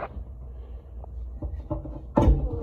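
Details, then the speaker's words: Walk-in cooler evaporator running constantly because of a faulty thermostat: a few dull irregular thumps, about one every half second, as the single fan blade strikes ice built up off the back of the coil. "because of ice off the back of the coil so now hey looky there I bet we applied power we're gonna get the fan that's to be expected"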